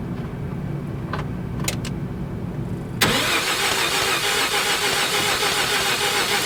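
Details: 1988 Mazda RX7, 1.3 L 13B twin-rotor rotary, sat unused for over 10 years, in neutral with the microphone set nearby: the starter spins it with a steady, rhythmic whirr but it never catches; cranks but won't start, cause unknown, plugs to be pulled.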